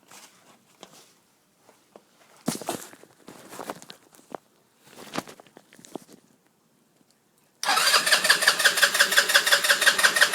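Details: 2007 Baja SC150 scooter with new spark plug, after ridden 10 minutes then shut off and refused to restart: starter cranks in steady pulses about three a second but engine never fires; cranks no start, cause unknown.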